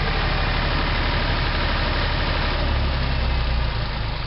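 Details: Hunting HiVolt 12 kW three-phase diesel generator after hydraulic-starter start: heavy, steady low chug holding an even beat with no misses or hunting; running normally.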